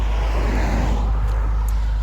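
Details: 2004 MG ZT-T+ 180 V6 after misfire repair (unplugged coils replaced): smooth, even low rumble with no stumbles over outdoor noise, no engine management light; firing cleanly on all cylinders.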